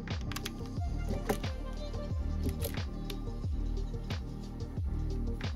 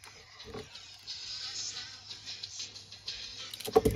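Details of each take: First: Sony Walkman WM-FX45 cassette player after repair, heard through headphones: music plays at steady, even pitch with the beat holding time, no wow or dragging; tape drive running at normal speed, before calibration-tape fine tuning. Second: Sony Walkman WM-FX45 cassette player: the music plays dragged, low and wavering, struggling in both directions. Playback is slow, likely from a very loose drive belt; the motor will also be checked.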